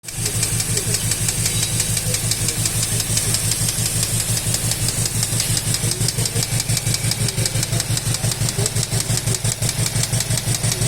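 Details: VW Golf 7 R running: a sharp, steady mechanical clack about three times a second over the engine; an internal knock, source unknown.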